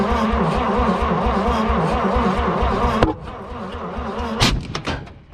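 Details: Long-sitting 1951 Dodge B series truck first start attempts while adjusting ignition timing: uneven lumpy running that drops away, then a sharp exhaust bang with a fireball. Backfire from ignition timing being off.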